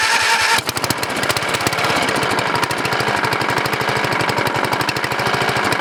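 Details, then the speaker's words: 14.5HP OHV Briggs & Stratton (model 28) single-cylinder riding mower engine with a new coil, unused for a couple of years, regular muffler. Fires into a fast, harsh clatter with a sharp metallic knock every beat; the noise is internal and persists with the flywheel cover off. "well guys it's running somebody from pretty Givet is making an awful noise on the water what it is exactly sound like something rubbing somewhere I'm going to check it out a little bit ok guys so the noise is internal"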